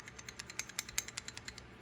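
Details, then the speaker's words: Cheap aftermarket piston, rocked by hand: sharp light metallic clicks, about fifteen in two seconds. The pin has lots of play and falls right through its bore, unlike the snug OEM part. Loose wrist pin fitment. "I put it in that hole. All sorts of movement. Hear it in there?"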